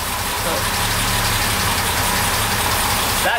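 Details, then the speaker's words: Twin SU carburettors after preliminary tuning, mixture adjusted a little at a time and air balance checked; steady, even idle with no hunting or stumble under hiss, mixture about right and running a lot smoother. "he's already running a lot smoother a lot nicer"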